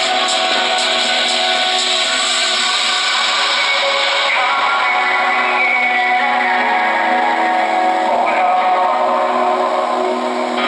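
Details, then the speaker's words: Norelco 1230 cassette recorder made in 1970, on batteries with the tablet disconnected: music plays back smooth, steady and clean with no wow, flutter, crackle or buzz; transport and playback working properly. "wow it sounds so smooth I really love it I mean the truth the truth for a device manufactured in 1970"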